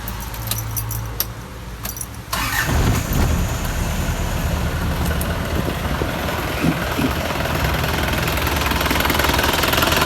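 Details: Isuzu TFR 2500 diesel, used engine checked for wear (oil residue along dipstick tube), started to check radiator pressure and overheating: starter cranks briefly, then steady, rough diesel clatter at idle; no clear knock, wear unconfirmed.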